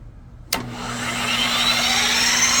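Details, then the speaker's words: Milwaukee 6360 10¼-inch circular saw, before repair (cut cord, brushes, three bearings): motor spools up to steady hum with thin high squeal; worn bearings. "all right so it seems like the bearings are bad um did if you heard that uh definitely has some squealing going on"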